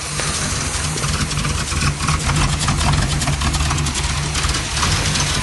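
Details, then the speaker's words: 1978 Cutlass 403 V8 with borrowed spark plug wires, cold and not yet warmed up: deep V8 burble at cold idle with a slightly uneven beat, seemingly running on all eight. No knock or tick, sounds a lot better. "sounds like a throwaway a won't idle hasn't warmed up yet they're running"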